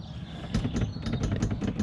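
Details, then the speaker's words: Honda Pioneer side-by-side at engine idle: loose clattery knocks about four times a second as a door rattles in its frame due to poor door and body panel fitment; a gap lets a finger pass all around the door. "but you fell short with the fit and finish here Honda"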